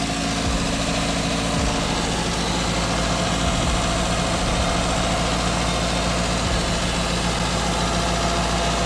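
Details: Toyota Corolla engine stuck at a raised idle, revs previously hunting up and down and overheating; steady, unchanging drone that never settles, throttle body sensors suspected.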